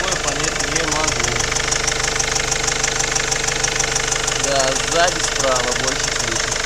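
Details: Mercedes OM 611 CDI diesel at idle: steady clatter with an extra regular knock about twice a second riding over it; abnormal engine noise of unclear origin.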